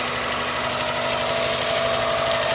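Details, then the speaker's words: Honda Insight ZE1 three-cylinder after valve adjustment, previously ticking badly when cold; clearances under 25 left alone, not set especially quiet: steady idle with light even top-end ticking, no loud clatter, much better than before. "I didn't adjust mine to be particularly quiet if they were let's say under 25 I left them alone but it's much better than it was on a cold start"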